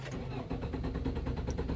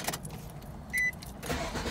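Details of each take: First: 2005 Nissan Altima that intermittently loses communication with the ECM/TCM and dies. The starter cranks steadily but it never fires after stalling. The TPS signal dropped to zero; the APP sensor or TCM is suspected, not confirmed. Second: 2005 Nissan Altima 2.5, which died while driving from lost ECM/TCM communication (P1705, P1611), after the bad PCM was replaced and programmed; warning chimes, a quick crank, then it catches cleanly into a steady, even idle. Normal start and idle.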